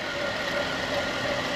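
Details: 2010 Buick Enclave CXL V6 with an even, steady idle and smooth, unbroken note, no stumble or miss, after the leaking vacuum hose was replaced with a thicker hose with a heat-protective cover, curing the misfire.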